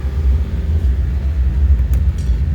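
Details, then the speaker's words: Old Paramatic boiler burner, adjusted up while reading analyzer: steady, loud low roaring rumble with no surging or pulsing; firing normally. "just giving it a little bit more uh quite noisy in there reading a little bit out on the analyzer"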